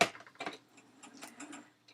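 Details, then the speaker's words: Hand needle punching through ribbon while stitching a pen wrap gives sharp little pops: the popping means the needle point is blunt and the needle needs changing. "can you hear that popping noise as the needle goes through the thing listen for it can you hear that popping noise as it pierces the the uh ribbon that is blunt needle"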